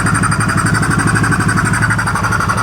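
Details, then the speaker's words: 2015 Polaris Sportsman 570 EFI, left outside for years with a reported blown motor, at idle just after its first start with the intake off: quick, even low thumping with no knock or tick. The engine sounds healthy, just loud with the intake off, with no check-engine light. "now it's loud because of that intake not on there"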